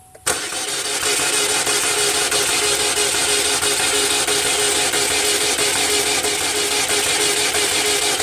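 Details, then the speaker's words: GM Ecotec car, turns over but won't start, no codes, good fuel pressure, crank position sensor already replaced: starter spins fast and light, never catches; good spark but poor compression, suspected jumped or broken timing chain. "we got a good spark poor compression cars turning over real easy it sounds like timing chain is shot"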